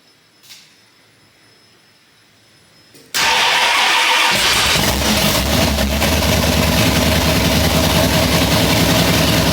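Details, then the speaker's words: Freshly rebuilt Mustang V8 after 7-year restoration, plug wires moved over with number one set correctly: cranks, catches cleanly and settles into a loud, steady idle, no exhaust fitted yet, hydraulic flat-tappet cam not yet broken in. "okay it runs so I don't know that's a good thing I guess"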